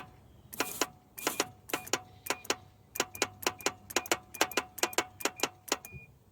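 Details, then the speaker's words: 1983 Toyota 22R, sat 20+ years, group 75 battery fitted: sharp clicks in uneven bursts, about two a second, with no cranking; owner suspects a locked-up starter, a seized engine, or both. "just clicking is never a good sign take the spark plugs out or maybe I'll smash the starter with something usually you can get a big pole down in there and smack the starter real hard the starter could be locked up where the engine could be or it might be both"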